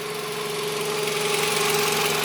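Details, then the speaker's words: Running car with a steady high whine rising slightly; battery died while running, lights flickered, and the car struggled when the battery positive was removed, confirming a bad alternator as the whine's cause. "yep yep it is the alternate that's what's causing the problem the whining noise the alternator is the problem"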